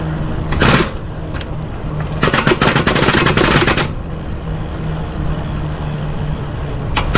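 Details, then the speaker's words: Lectric XPremium mid-drive e-bike with throttle, pulling off from a stop in too high a gear: rapid, ragged clacking bursts as the chain skips over the freewheel; the fix is to shift down to first before stopping. "if you have too low sorry uh yeah two no too high a gear ratio um then the chain skips over the Freewheel and you get this like this"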